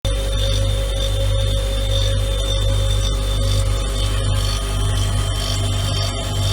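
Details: Siemens fridge after compressor replacement: deep steady hum with rough uneven clicking grind, grinding persisting at a different frequency; cause unclear.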